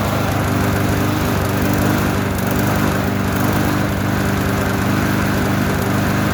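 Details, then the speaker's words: Trash-found lawnmower running after fresh gas, no air filter or housing, owner attributes slight roughness to that; small single-cylinder engine putters at steady speed, no knocking, misses or smoke; normal running. "this thing will probably last a couple of years if that there's no rust on it tires in good shape motor ran good no smoke no knockin"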